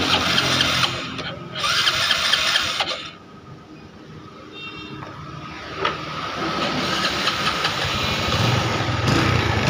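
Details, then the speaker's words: Honda Revo carburetor motorcycle after carburetor service for a sticking throttle cable, idling with a slightly lumpy, uneven beat near three a second; the idle air screw is wound in too far, to be rebalanced. "oke di sini kita ini setelan anginya kita setelanginya dulu teman-teman dan kebetulan setelan anginya sudah terlalu di dalamkan ini setelanang ini itu tidak boleh terlalu dalam teman-teman ya"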